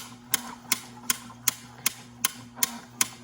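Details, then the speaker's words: Royal Sovereign Quick Sort electric coin sorter after a year of use, run button pressed: sharp evenly spaced clicks about 2.5 per second over low motor hum, normal anti-jam mechanism. "So that noise right there is the anti-jam function working. So that's a pretty cool feature that you get for this coin machine"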